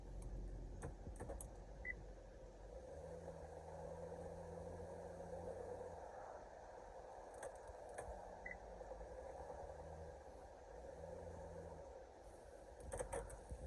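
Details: 2013 Honda Pilot Touring 3.5 after repair of a P0303 cylinder 3 misfire, with the coil checked and refitted and the engine light flashing before. Now a steady, even idle with no stumble or skipped beats: normal idle.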